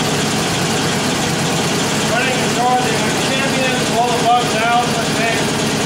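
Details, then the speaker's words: 1947 Indian Chief V-twin after full engine rebuild, warm: settles into a steady, even idle with no knocks or misses; sounds healthy. "here it is kind of warm i'm going to start it up so you can hear it when it's supposed to sound like there it is"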